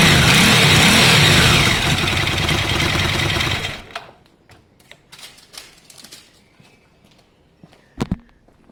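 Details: Ducati Monster twin started briefly after a home timing/cam belt change: even, steady twin-cylinder beat for under four seconds, then shut off; smooth, no slap or tick from the new belts; normal running.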